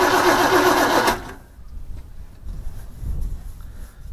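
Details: 1980 Chevrolet C10 small block with new carburetor: starter cranks steadily about four turns a second without catching; no fuel from main line, fuel line dry, fixed by replacing the fuel pump.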